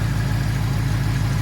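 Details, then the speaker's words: 2024 Mustang S650, idle after first oil change at about 4,400 miles with Motorcraft 5W-50: even idle, no valve tick; faint high-pressure fuel pump ticking underneath is normal. "no tick at all you can hear the highpressure fuel pump over there sometimes that'll get a little bit noisy"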